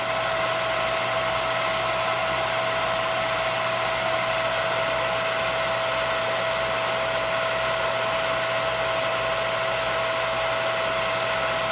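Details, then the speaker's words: Used Breckwell/Facso pellet stove combustion exhaust fan from a Breckwell P24I on an open bench: even steady motor whir with constant hum and whine, no loud noise, squealing or squeaking; normal blower operation. "So there it is, no loud noise, no squealing, no squeaking, nothing."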